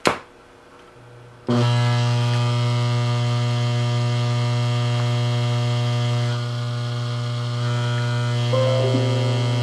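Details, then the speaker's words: NuTone N2561/N2562 intercom master station, made April 1972 (J chassis), new old stock, failed after about 10 hours of use: a loud, steady low mains buzz starts abruptly at switch-on with a dense stack of tones above it. "Big giant buzzing sound. We'll turn it off because we don't want it to die altogether."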